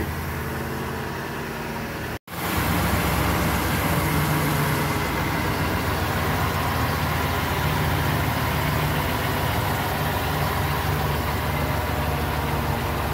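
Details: 2006 Ford E-series van (E350/E250) after replacing the rattling right-hand catalytic converter: idle settles into a smooth, steady low rumble with no knocking or rattling.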